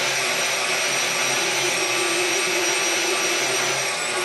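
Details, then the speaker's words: KitchenAid stand mixer with new control board and governor plate, speed adjusted: even, unwavering motor whine holding the same pitch while drag is applied; governor keeps speed steady under load. "And you can hear that the speed is staying, so even if I slow it down, we're sticking at that speed."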